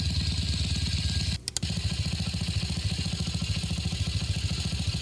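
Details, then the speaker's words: 1966 Simplicity Sovereign lawn tractor, Briggs single-cylinder points engine, warm after 20 minutes at low idle: steady chug with one sharp cut-out and stumble, then recovers; uneven running, owner suspects slightly leaking head gasket, unconfirmed. "A little stumbly right here, but it did at one point. It ran real good. Yeah, I think the head gasket might be leaking a little bit, but it's hard to say."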